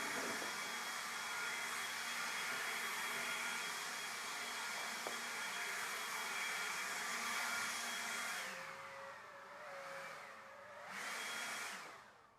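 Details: Ryobi battery leaf blower with a fully charged battery, after repairing a worn, burnt speed switch that would not give high speed: a smooth, steady high-pitched whir at full speed, then a clean wind-down; it runs normally.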